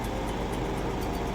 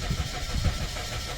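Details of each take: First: Suzuki Swift after defective ECU repair fixed a crank/no-start, warming up with lost-ECM-communication codes now history: steady even low hum with no knocks or stumbles. Normal idle. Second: Suzuki Swift cranking with steady low chugging but never starting, immobilizer light on; no-start caused by defective ECU.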